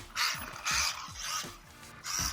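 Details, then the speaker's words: LC Racing LC12B1 RC car kit, GTSKYTENRC 2838 4700KV brushless motor with 35A ESC, two-pad slipper clutch, running about 26-28 mph: sharp, high ratcheting whirr in bursts with each throttle blip; owner suspects slipper clutch needs adjusting. "I think I gotta adjust my slipper clutch. Definitely sounds like it."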